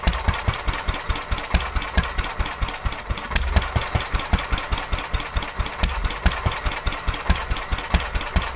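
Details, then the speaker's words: Petter A11 (A1 series 2) single-cylinder vintage stationary engine, owned 12-13 years, sat damp in a container for four years; slow chuffing about two beats a second, uneven spacing, missed beats; rough running, owner suspects fuel starvation from dirt in the carburettor. "Yeah, I think they're going fuel starvation. I think the carburetor's got a little bit of crap in it."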